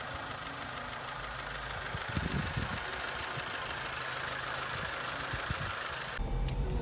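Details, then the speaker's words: Vauxhall Corsa with newly installed replacement engine (old one had awful noises and low oil pressure): even, steady idle with a smooth low rumble and no knocks or rattles; normal idle. "and there we go it's the new engine put in it's been about a month since filming this whole video and I haven't had any complaints from her sister since doing it so everything's all good with her car now"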